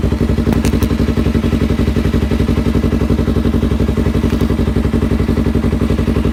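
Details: Yamaha R3 after installing a block-off plate, decelerating while riding: even steady thudding about three beats a second with no crackle or pops from the exhaust; clean deceleration.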